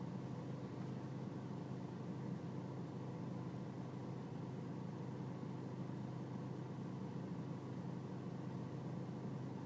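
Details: BMW E46 320cd diesel at low engine and outside temperature: low idle with a steady rumble and slight unevenness; a rough cold idle, cause not pinned down.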